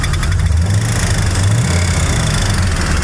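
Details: 2002 Chevy Silverado 2500 HD 6.0 after the oil pump failed and oil pressure was lost unnoticed due to a faulty gauge cluster, heard near the hood and fender well on a small rev: deep rumble with dull banging; rod knock.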